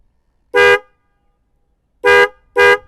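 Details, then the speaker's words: Yamaha Vixion motorcycle with two Denso snail horns newly fitted through a 30 A 12 V relay and fuse: three short, loud, clear blasts with a rich buzzy tone and no crackle or dropout; the horns sound strong and healthy. "Oke, kita klakson lagi. Kayak kereta guys suaranya. Ini buat ngelakson ibu-ibu yang pakai motornya riting kanan beloknya ke kiri."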